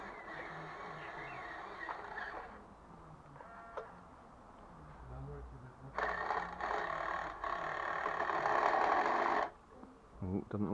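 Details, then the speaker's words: 1:10-scale RC HL Toys SW HL 3058 bulldozer power scraper on grass with a fixed rear axle (no differential) and hard plastic tyres: fast uneven clattering about four bursts a second while driving. The gears are not meshing properly, giving gear rattle. "you'll hear the horrible rattling noise because the gears are not quite right"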